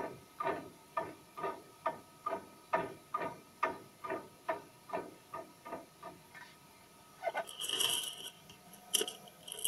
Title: small play making noise when tables moving